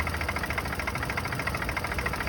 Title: Turbo b series piston slap cold start